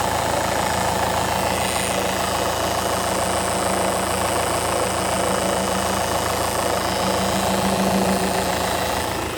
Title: Peugeot 2008 2018 1.6 BlueHDi Bruit moteur vers distribution